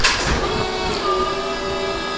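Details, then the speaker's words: Hoveround MPV5 power chair with 5-inch electric seat lift, about 10 miles of use, raised via joystick: steady smooth electric motor hum with faint whirring as the seat rises; normal seat lift motor operation. "hear the seat and this is normal noise so the noise you hear right there would this hover around this apart that's the noise you want to hear with this seat lift"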